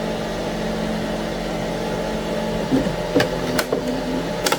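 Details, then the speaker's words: Anycubic ACE Pro filament feeder, red slot retracting: steady low motor hum and smooth gear whir with no rhythmic clicking, only a few stray taps; normal, unlike the first slot, which grinds. "Yeah, the red one's smooth. There's no clicking. Look at that. The red one is just so smooth."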